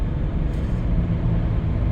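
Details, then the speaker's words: 1997 Dodge Caravan LE driven on tar road after replacing the worn front right wheel bearing (had play and grinding): only low even road rumble, no growl or hum rising with speed; bearing now quiet, another noise suspected elsewhere. "so now that the uh front right one's nice and quiet where's the other one I hear now"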